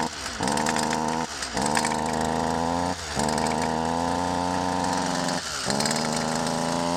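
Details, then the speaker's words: Stihl FS 55 R two-stroke string trimmer that bogs and won't rev; very quiet, muffled, strangled drone dropping out and recovering, puffing smoke; carbon- and oil-plugged muffler spark arrestor screen, fuel mixed extremely rich with too much oil. "so you can hear it sounds incredibly muffled and it's puffing smoke"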